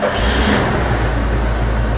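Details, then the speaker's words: 1986 Ford F150 straight six after water pump replacement: fires and revs cleanly, deep steady note with no knocks or misses, no longer wobbling on the front; sounds good. "look at that straight six three honda so it's not wobbling on the front no more give me a look again this thing just sounds good"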